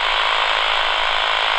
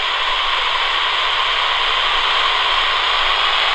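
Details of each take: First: AM radio held over a Flymo 1200R robot lawnmower boundary cable far from the base station: dense rapid buzzing crackle from the cable's signal, so the wire is intact here, before the signal is lost at the contractor-caused break. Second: AM radio tracing a Flymo 1200R robot mower boundary cable broken by contractors: plain static with no buzz means the wire signal is lost, so the break is near this spot, far from the base station.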